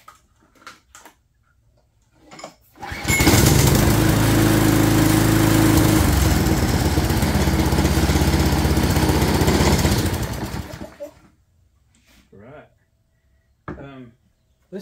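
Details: Craftsman 22" walk-behind string trimmer with Craftsman flathead engine (6.75 ft-lb torque), primed with bulb after cleaning: pull-start then crisp steady buzz about four beats a second for several seconds before shutting off; runs smooth and healthy.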